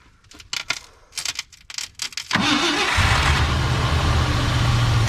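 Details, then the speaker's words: Ford F-100 V8, first start in about 10 years after sitting, carburetor rebuilt; several cranking bursts, then a loud, lumpy run with a possible backfire. Running rough, timing judged to be off. "up yep all right timing's off yeah come this way some more i wonder if he's all right go running rough"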